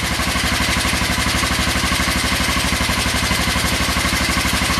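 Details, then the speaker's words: 1996 Kawasaki Vulcan 500 twin, first run after carb work, started cold at about 28°F after heat-gun warming: steady, even low thump at idle on both cylinders, no smoke; oil black and due for a change; normal idle. "as you can hear it is running not really smoking or anything so [Music] running on both cylinders"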